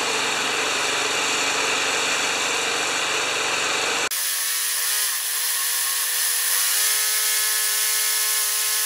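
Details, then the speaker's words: Probably a 1987 Craftsman Eager 1 mower with Tecumseh engine (carb and muffler same side), oil slightly overfilled, being primed: thin high buzz that shifts abruptly and doesn't sound strong; weak, uneven running, with a leak found at the intake manifold by the choke. "I want to see if I can prime it can you hear that doesn't sound too strong"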